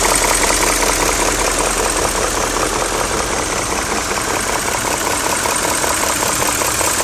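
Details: BMW E39 M5 at idle: fast, fairly regular top-end ticking knock of about two or three per second over the idle; owner suspects VANOS, cause unconfirmed.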